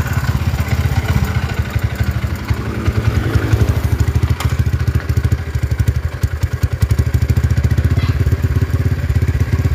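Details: Honda GL single-cylinder, idle putters unevenly, revs rising and falling by themselves and won't hold steady; rough, chattering engine, cam chain tensioner suspected of moving up and down; idle surging.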